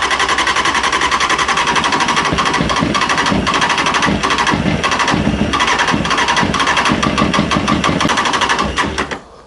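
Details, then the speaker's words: Honda CB600F with repeating problem, brake cleaner sprayed into intake, choke stuck: four-cylinder catches and revs raggedly for several seconds, then dies; runs only on starting spray, owner suspects carb flooding or ignition fault. "Sort of sounds like it it likes that. Try a bit more. Okay. So, it's running on that brake cleaner."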